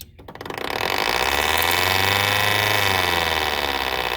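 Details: 2014 Frigidaire 5000 BTU window AC, GMCC rotary compressor, unused five years, first power-up on fan only: motor hums up to speed, then fast steady raspy scrape over the whir; fan blade rubbing bent case and debris.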